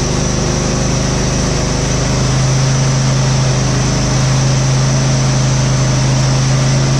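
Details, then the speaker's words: Husqvarna GT52XLSi lawn tractor, 24hp Briggs & Stratton, after replacing the carburetor jet O-rings, not fully warm: a fast, steady idle hum holding one pitch with no hunting; runs smooth, surging fixed. "yes anyway purrs like a kitten real fast it's not really warm you nice place"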